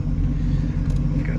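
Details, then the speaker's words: 1986 Oldsmobile Cutlass 442 with Quadrajet carb, restarted after TPS work: low, lumpy idle that wavers unevenly and runs badly with check-engine light on; TPS closed-throttle signal reads way above the ~0.41 V spec, codes 21/22 suspected. "the light again and it's running pretty shitty pretty bad"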